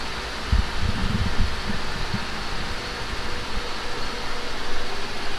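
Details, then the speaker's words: Cold start after a Blox intake manifold install on a mild GSR build: engine catches quickly and settles into an even fast cold idle under steady fan hiss, no misses or knocks, no codes; valve lash adjustment still due; runs fine. "guys, so really cold start right there. Everything sounds good."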